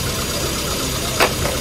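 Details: Normal petrol idle during a tuning demo after spark plug checks: even, steady beat with no stumbling or skipped firing, apart from one brief click; all cylinders firing smoothly.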